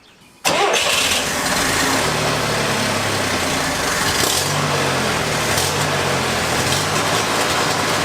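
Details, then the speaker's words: 1966 Barn-find Corvair being revived after supposedly about 20 years parked: catches and roars, then runs unevenly with surging, sagging pitch, sometimes loud and making power, other times not. "what is up with that sometimes it's really loud and that's what's making power and other times it's just like it's not making any power"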